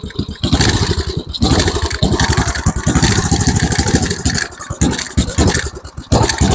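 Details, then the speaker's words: MTD Snowflight two-stage snowblower with a Tecumseh 8 hp Snow-King engine on old fuel: it lopes and stumbles, surging unevenly and nearly dying, running too rich because the choke was left closed. "Okay, let's try with the choke open. That was my fault. I forgot to open the choke back up."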